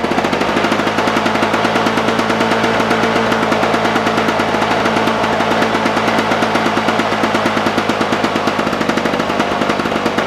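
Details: Lawn Boy push mower returned again with no spark (spark comes and goes), dried off, now started: fast, even, rapid-fire exhaust popping at steady speed throughout; running cleanly.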